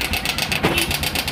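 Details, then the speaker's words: Karisma motorcycle at idle: harsh, diesel-like fast metallic ticking around ten per second. A cam chain, cam chain tensioner or tensioner pusher rattle is suspected, still unconfirmed. "disini adalah motornya motor Karisma yah dengan suaranya itu Kasar banget ya ini kalau dihidupkan tuh suaranya erek-erek gitu ya"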